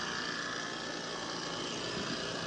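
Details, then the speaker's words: Trane 5-ton R410A AC unit built 2020, compressor previously wouldn't start, after hard start kit install: steady airy rush and hum, drawing 19 A versus 20.8 RLA, cooling, slightly loud but expected to quiet; normal running. "ya empezó a enfriar acá es un poquito fuerte el sonido pero creo que va a ir disminuyendo"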